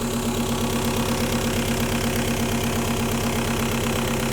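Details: 1.9L TDI diesel at steady idle with a sharp, regular metallic clatter of about 170 knocks a minute over the engine note, diagnosed as injector knock from faulty injectors.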